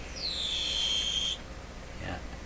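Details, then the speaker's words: Linn Classik AM/FM CD player with a CD drawer that won't open: a thin, high-pitched whine that holds about a second then cuts off as the loading mechanism strains, probably trying to lift. The door only moves once the buzz stops; a slipping rubber drive belt is suspected. "now the moment that little buzz went away it became possible for me to move this door up until then it didn't want to go anywhere"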